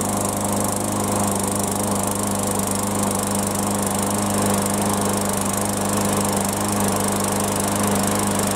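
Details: Yard Machines mower after no-start repair, with fresh fuel and primed; steady, even small-engine drone at constant speed, no misses or surging; normal running.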